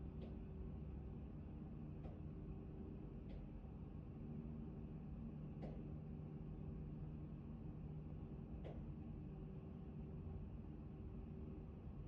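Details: Intermittent knocking from an Actron Neo unit: sharp, uneven knocks every one to three seconds over a steady low fan rumble; cause not yet identified.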